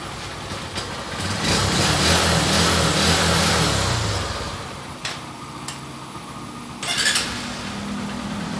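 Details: Yamaha engine after carburetor cleaned of water, rust and algae with its jets cleared with wire: it picks up and runs evenly for a few seconds with no stumble or misfire, then settles lower; normal running after repair.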